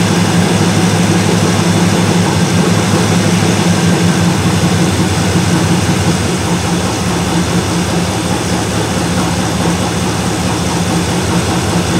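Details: 1977 Malibu low-mileage machine-shop-built V8 during cam break-in, oversized 770 carburetor; loud, deep, steady roar with an even exhaust beat and no clear knocking; owner says any apparent rod knock is just the audio; healthy.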